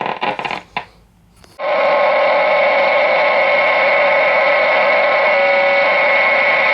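Steady, clean station audio with a faint even hiss and no crackle or fading; the set is pulling in daytime AM normally.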